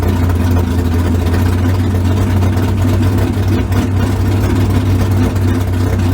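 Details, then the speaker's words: 355 small-block V8 swapped into the '57: a deep, steady, even idle with no misses, knocks or hunting. Normal idle. "All right, I ain't got my timing light stuff, but I put probably 8 to 10 degrees in it, and it cleared right up. Just the carburetors a little bit, and they sound good now."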